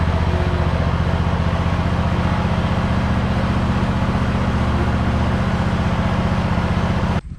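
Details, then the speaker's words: Hustler Raptor SD 54-inch zero-turn mower with Kohler engine at about 100 hours, cold start after sitting a couple of days; engine pulses evenly at steady speed with no misses or rattles, then shuts off cleanly, normal running. "this is uh from a cold start and i haven't started it in about a couple of days since i mowed last"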